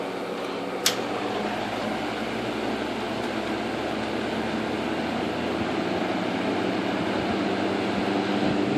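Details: 1958 General Electric twin window/box fan, restored: steady even whoosh of air with low resonant motor hum and faint whistle from the windings, normal for these units; running smoothly.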